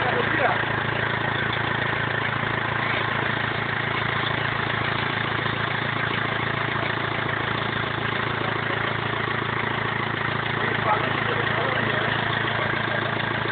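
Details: BMW E46 320d 150hp diesel, first start after engine overhaul following swirl flap failure: even, steady idle with a smooth low thrum, no knocks or misses; normal diesel idle.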